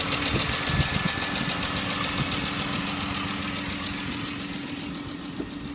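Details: BMW E34 520i started cold, before adding Resurs Next additive: fast, light ticking about three to four times a second over a cold idle, from hydraulic lifters tapping before they pump up.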